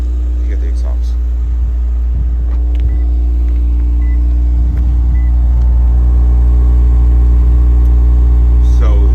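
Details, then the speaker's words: Lexus GS just after cold start: deep, even exhaust rumble at a fast cold idle, steady with no knocks, misses or rattles; idle will drop once warm; healthy engine. "you all, for me, that's just perfect. And after cold start, it'll die back down. But to me, it's just right."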